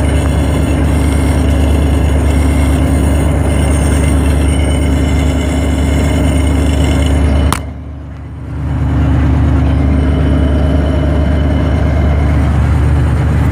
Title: Another video of T56 gear noise